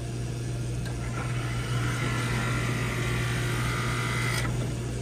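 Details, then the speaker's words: Radiant heating circulator pump on a multi-zone boiler system, heard after power cycled: steady low hum with rough gritty rush and faint whistle; this circulator is failing and must be replaced. "you hear that that's not a good sound this circulator has got to go"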